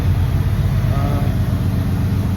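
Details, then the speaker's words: 1990s Chevrolet Impala SS with LT1 350 on a cold, snowy day, idling after an alternator replacement to fix charging. Deep, even, quiet idle rumble with a steady pulse and no surging or RPM spikes; normal idle. "but yeah so you can hear how quiet it is man she she's really purring she's really purring"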